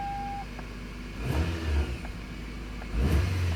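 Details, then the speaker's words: 2001 Toyota Camry 5S-FE four-cylinder idles then blips up twice smoothly with no stumble, after replacing spark plugs with about 77k miles on them and the plug wires; the misfire is gone. "here we go guys start the car wow that's pretty smooth guys"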